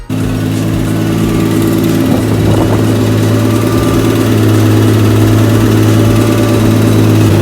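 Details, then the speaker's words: RB-swapped Nissan 240SX after treating the idle air control valve, engine cold: low slightly uneven idle that sags and recovers, struggling to idle alone; fine when warm; coolant leaking at a kinked radiator hose. "I let it idle on its own and when it's when it's warm it iowa's just fine but when it's cold it has a hard time idling on its own"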